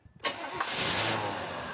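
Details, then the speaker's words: 1988 Pontiac Firebird Trans Am GTA 5.7L, sat for years, first start: brief crank, catches, idle slightly uneven; owner says not running perfect, plans to replace 35-year-old sensors; rough running, cause unconfirmed. "Now you can see she sounds pretty good. She's not running perfect, I can tell."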